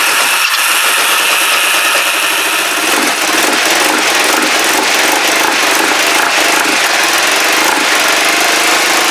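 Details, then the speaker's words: Kawasaki GPZ500S twin, carb vacuum port blocked with a screwdriver: ragged lumpy idle, uneven firing, rattly exhaust note; vapour seen, possibly unburnt fuel; owner suspects carburettor, doubts timing. Rough running, cause unconfirmed. "oh not happy I'm beginning to think careta I really am uh it's not timing convinced it's not timing"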